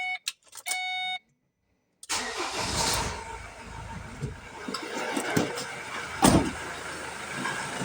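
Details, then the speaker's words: Ford Transit MK7 restarted after stalling: warning chimes, then it cranks, catches and runs unevenly with irregular surges and dips. While warming up it won't hold idle and shuts down after some seconds. "Now, when the engine is warming up, it won't stay in idle and it shuts down after some seconds."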